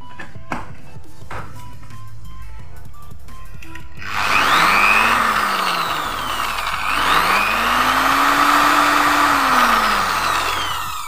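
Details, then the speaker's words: 350 W electric drill running on a Taffware NBQ1000W pure-sine inverter from a 12 V battery reading about 12.8 V: clean whine rising and falling with the trigger, no grinding; smooth, quiet, like mains power. "Muternya sangat halus sekali ya mesinnya teman-teman ya, enggak berisik. Ini beban induksi atau rotor nih, halus sekali suaranya, seperti layaknya menggunakan listrik PLN ya."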